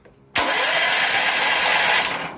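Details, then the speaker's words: Powerhorse 9000ES generator after new solenoid fitted and switch temporarily reconnected, carburetor superficially cleaned, no air filter: engine catches at once on the key and settles into a steady run; normal electric start. "i'm just putting everything back the way it was except with a new solenoid so all right i've got the battery hooked back up and i just hooked the switch back up temporarily let's see what happens"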